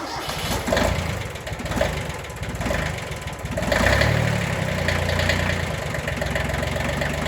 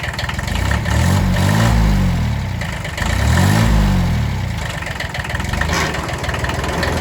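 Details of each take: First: Kubota B6100 diesel tractor after clutch pilot bushing replacement: it cranks, catches in about four seconds and settles to a smooth, even idle. The earlier in-gear noise is gone. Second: Kubota B6100 diesel tractor at idle, in gear with clutch fully pressed: slow swelling drone every two seconds that disappears in neutral or with the clutch released; a worn clutch pilot bushing.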